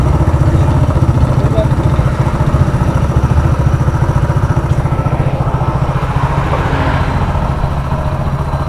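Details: Hero Splendor Plus single-cylinder after engine repair for crank noise: steady, even idle of about four beats a second with no knocking or rattle; the engine sounds healthy.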